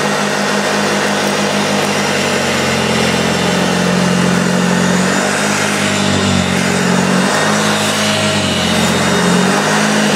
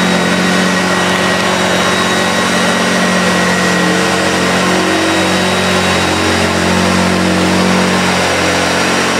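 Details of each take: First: Early first-run plastic-hood Hoover Junior 1436 (Mk1) upright vacuum on deep-pile carpet: motor hums steadily but brush tone sags and wavers under load as the really loose drive belt slips. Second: Early Hoover Junior 1436 Mk1 upright vacuum, plastic-hood first run, in very good condition: smooth, steady motor hum and whine at even pitch, then winding down when switched off; motor sounds healthy.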